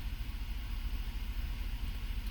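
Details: 2005 Chevrolet Avalanche 5.3 L V8 with a P0300 random misfire after spark plugs, coils and injectors were replaced; long-term fuel trim bank 2 at -15, no misfire now: steady, even low idle with no stumble or skipped beats.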